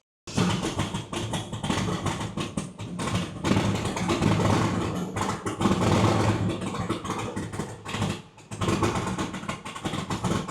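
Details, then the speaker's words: Truck called Old Mac, with a tuned engine: choppy, stumbling, surging rough running; O2 sensor was replaced on the tuner's advice and it ran perfectly, but it turned rough again hours later. Cause not confirmed. "Those don't sound right. All right, we've already I changed the O2 sensor earlier because I knew this weekend it wasn't working right."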